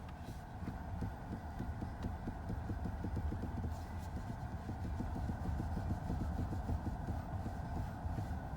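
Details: Chery Exeed TXL at 4,337 km, standing still, wheel turned slowly, heard from underneath: dull, irregular low thuds, a knock somewhere in the steering joints judged abnormal for the mileage; cause suspected, not confirmed.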